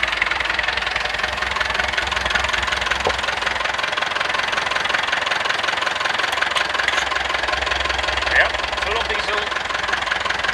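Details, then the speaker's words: Massey Ferguson MF 165 diesel tractor, cold start on a rainy, windy Swedish autumn day after refilling the fuel tank and bleeding the injection lines; even diesel clatter at steady idle under rain hiss, no misses or knocks, warming up: normal idle. "so i'm gonna start it up let it warm up a little [Applause] [Music] that was easy"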